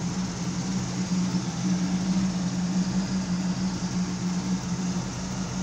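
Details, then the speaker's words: 1972 Pontiac Firebird Trans Am V8 after cooling air pocket cleared: steady, even low rumble with no misses or knocks; owner thinks idle is a little low and might raise it. Normal idle. "I think my idle's a little low yet but I kind of like [Music] it I kind of like that I might bring it up a"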